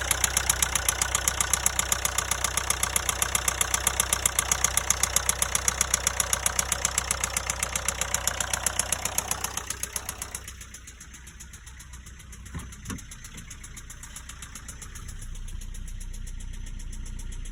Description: Qashqai j10 1.5 dci horrible engine knocking and white grey smoke coming out of the exhaust.